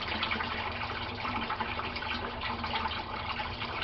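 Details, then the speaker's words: Aquaponics grow bed (gravel, about 25 gallons) draining via siphon: constant rushing gurgle of water with no air gulps or stalls, nearly empty within a few minutes; normal drain flow. "Okay, we can see the water is almost down to the very bottom. It's almost completely drained, which happens in just a few minutes, as you can see."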